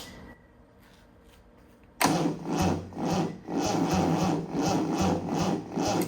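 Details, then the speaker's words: Triumph TR6 rebuilt engine, cranked with the coil disconnected: slow, labored cranking about two turns a second with no firing. The battery is too weak and was swapped for another. "No, that's not gonna help us, so I'm gonna have to bring another battery."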